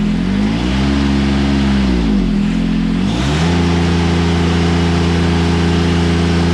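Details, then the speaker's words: John Deere 455 lawn tractor, already warm: engine revs smoothly, dips and climbs back, then settles into a steady, even run with no knocks or rattles; sounds healthy. "like I said runs really nice I'm overall happy with the purchase"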